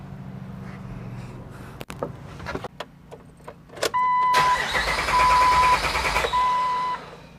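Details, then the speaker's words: 1997–2006 Jeep Wrangler TJ 4.0, fuel pump fuse pulled to depressurize lines before pump replacement: starter churns steadily about two seconds under a warning chime but never fires; crank, no start. "okay now that we have crank with no start we know that the fuel has left the fuel lines"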